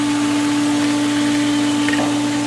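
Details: Hayward DE pool filter pump just after first backwash and rinse, back on filtration with pressure much lower; constant, even hum with steady tone and water rush, no rattles or surging; running normally.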